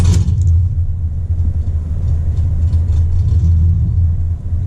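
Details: 1996 Impala SS with LS1 swap, after about 3 minutes idling for IAC relearn following battery discharge: deep V8 idle sagging and surging with brief dips, hunting idle of vacuum leak; relearn failed, IAC valve to come out for scrubbing.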